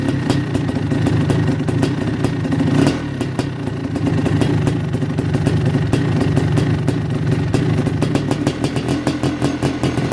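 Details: KX500 two-stroke first start after top-end rebuild (new Wossner piston, MPS Racing power valves, Cometic gaskets): crisp, even firing with clean revs, no rattle or misfire; running healthy.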